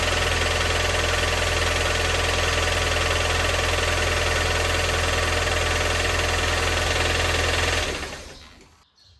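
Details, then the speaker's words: Rover 400, over 170,000 km, cold start: steady hard knock about three per second over a rough idle, starter straining; owner suspects a slightly bent conrod or a problem found near the timing belt area. "now this is still cold so it will be particularly bad beware"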